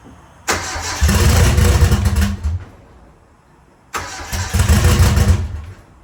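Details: An 850 hp engine, rebuilt after 50 psi boost and over-torqued head studs damaged it, gets two short test start-ups. Each time it cranks quickly, fires and runs a couple of seconds with no odd knocks or ticks: a normal start-up.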